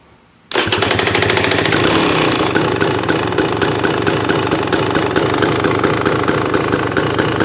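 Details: New 2023 KTM 300XC two-stroke at its first 10-hour service, fresh Bel-Ray 80-weight gear oil, started for a charging-system check: fires instantly after a short crank, settling into a crisp, even popping idle; healthy start.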